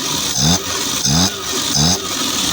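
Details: Suzuki Mehran after replacing a faulty magnetic CDI distributor that caused a no-start; three quick clean blips, revs climbing and dropping crisply with no stumble or misfire; idles smoothly, repair successful.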